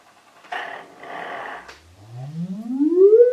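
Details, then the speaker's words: Celestion Ditton 25 T1600 woofer, scratchy after 28 years in storage, driven by an audio sweep with the spider positioned halfway between the grating points. A smooth rising tone with no scratch, so the voice coil moves freely without rubbing. "it's not grating at all."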